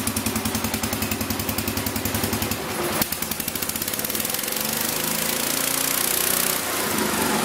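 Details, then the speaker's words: 1975 or 1976 Massey Ferguson 14 garden tractor, Kohler K321 single-cylinder, after carburettor repair and rich/lean adjustment: even, steady putter with clean firing pulses, speeding up slightly toward the end; normal running, no more backfiring. "everything seems to function fine choke is working fine throttle works fine"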